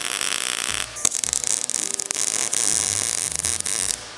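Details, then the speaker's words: MIG welding a thin metal saucer hoop with the heat turned up: a dense, even bacon-frying crackle with brief breaks; a good heat setting giving steady penetration without short-circuiting. "When I say I can feel it in the weld, you could feel the torch getting feedback. The way that the metal burns."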